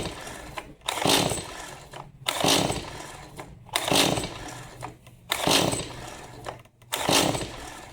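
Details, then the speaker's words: Stihl MS 180 C easy-start chainsaw brought in as won't start, fueled, fully choked with throttle locked: rope pulls rasp regularly with no firing; suspected spark issue or dirty spark plug, not yet confirmed. "All right, nothing fully choked, so I'm going to assume it's uh probably a spark issue, dirty spark plug."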